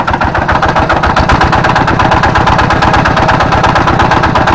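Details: Kubota single-cylinder diesel tractor with good compression and a smooth fan bearing idles harshly with a heavy uneven knock; the flywheel-side bearing is suspected as worn.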